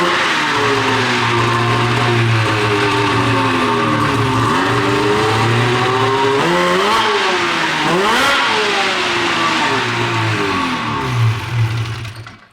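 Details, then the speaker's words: Snowmobile 13-year-old race sled, two-stroke: revs rise and sag unevenly, pitch dipping and hanging, a low-rpm bog; air-fuel screw ruled out, power valves being de-equalized, owner suspects power valve sticking when warm, runs well cold. "see if she bogs at this point you know we're just trying yeah at this point man we'll put some WD on the Belt dude be good sucker in bog City right now"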